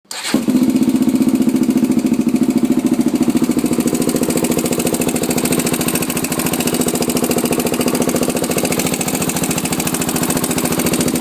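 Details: Honda 400EX single-cylinder engine starts and idles with a fast, even tick on each firing beat. Cause suspected, not confirmed.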